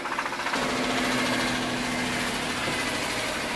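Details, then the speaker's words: BMW M3 bought running cheaply, engine idling rough with a heavy, uneven tractor-like knock under a steady hum and no check engine light; rod bearings suspected, not confirmed; 1JZ swap being considered. "Yeah, that definitely does not sound good. But no check engine light. Sounds like a tractor."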